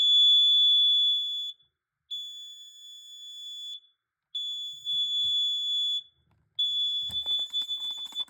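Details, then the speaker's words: Carbon monoxide/gas detector in full alarm after a little smoke test spray, its display reading "gas": shrill high beeps, each about a second and a half, with short gaps. No ppm reading of actual gas was seen. "You test it with smoke spray, it actually goes off. I'm actually not joking or kidding, it actually does."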